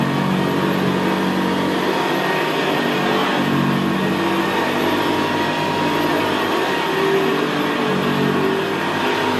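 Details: 1975 Hoover Senior Ranger U4002 vintage upright vacuum on carpet: steady, even, quiet motor hum with a gravelly brushroll growl, no surging or squeal, more audible where carpet is squashed down. Normal, healthy running.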